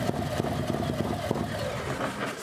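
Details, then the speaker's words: 2022 Harley Road Glide Special M8 114 after build with longer-lobe cam, high-flow injectors and Power Vision tune, just after first start, oil pressure confirmed good: loud raspy V-twin idle, even sharper beat, no knocks or ticks; normal idle. "Yeah, so oil pressure's good, so we confirm oil pressure's good. Actually sounds good."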